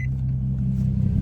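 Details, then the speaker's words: Infiniti G (G37 or G35) just picked up, idling at home, heard with door opened: deep, steady, loud low rumble, even and unbroken with slight throb toward end; healthy loud exhaust note. "Sound. It's loud. I ain't going to lie. This thing rumbling right now."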